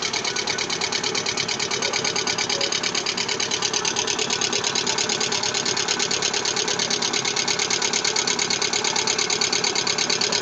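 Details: Lada Vesta engine at idle: sharp, fast metallic clatter at a very even rate, about three per second, over a thin idle; engine knock, with low oil pressure reported, source undetermined.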